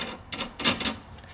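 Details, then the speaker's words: LS1 VN Commodore rear axle: a few sharp hollow clunks as the axle shifts side to side, from a loose panhard rod; an easy fix, nothing broken. "so this is what's knocking here side to side thank god for that easy fix"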